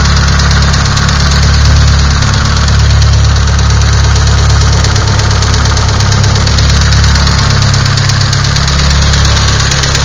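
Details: Nissan SR20DET at idle: loud, heavy idle with a rough, uneven knocking under the low engine drone; knocking inside, origin not pinned down.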